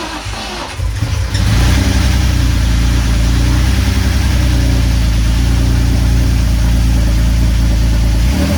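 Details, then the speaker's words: Drift car with replacement engine swapped in for one with a bad head gasket, first start with no coolant, fuel system primed: catches after a second and settles into a steady, even low idle with no knocks, ticks or misses; normal start and idle. "Just gonna start it, make sure it sounds good. No coolant system. Priming fuel system."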